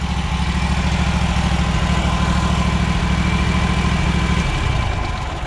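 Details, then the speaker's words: Riding mower at idle, restarted right after being shut off, heard at the muffler: low, uneven puttering with stumbles; cause not confirmed, owner's first check is the fuel filter, which looks filthy and is changed about every 100 hours. "you can hear just by the muffler of course it's like a puttering"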